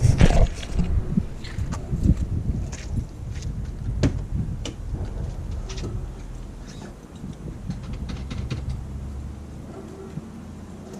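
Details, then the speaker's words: Cheap rallycross petrol car idling and revving after exhaust work with a faint, uneven puffing tick: a small exhaust leak still to be located and fixed. "so yes as you can hear I still have a little bit of an exhaust leak somewhere that I need to fix it so got that sound to it"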